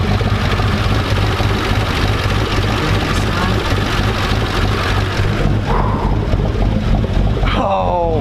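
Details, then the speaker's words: Hummer H3 with a Truck Norris cam and 4L65E transmission, first start after reassembly, no leaks: choppy, loping idle at about two beats per second with no tapping or knocking. Normal idle with lumpy cam. "Oh, listen to it chopping. Listen to it chopping, baby. It ain't leaking a drop."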